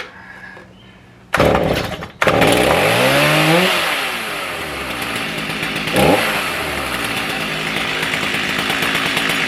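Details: Stihl MS310 chainsaw that stalled when hot, after ignition repair, coil tested good; choked and pull-started, revs up then settles to an even buzzing idle without stalling; normal running.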